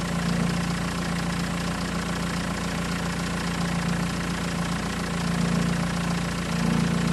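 Fast, light metallic rattle about three to four times a second over a steady idle; origin unclear, possibly timing chain.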